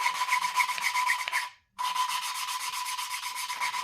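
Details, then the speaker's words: Valve lapping on a 1949 Farmall Cub engine: even, gritty back-and-forth rasp about four strokes a second, smooth with no catching; pitch changes as seat smooths, valve judged fully lapped. "that sound is sounding pretty good right there [Music] I think I'm going to call that valve done because that actually doesn't sound bad"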